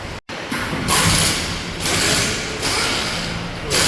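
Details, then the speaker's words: Car with 116,000 km, belt last replaced September 2022; loud rough scraping in surges, mostly high-pitched, over the running engine, traced not to the water pump but to a badly damaged accessory belt near snapping. "상당히 손상이 많이 됐습니다 그래서 소리가 심하게 났고요"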